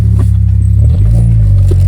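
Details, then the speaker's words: 1999 Mitsubishi Eclipse GS after idle air control valve replacement and throttle cable adjustment, in neutral: steady low hum idling much better but still slightly higher than normal. "It is idling a lot better. It's a little high. Higher than normal, I should say."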